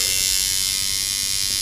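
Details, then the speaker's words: Sidewinder V3 tattoo machine after setting cam impact, stroke and spring tension, run around 5 to 5.5 volts: fast, even, crisp buzz with no choppiness, previously choppy; now running cleanly and well tuned. "you can hear it sounds crisp I can turn it down to about 5 Vols and it still sounds like like a tattoo machine should turn it up and it sounds good"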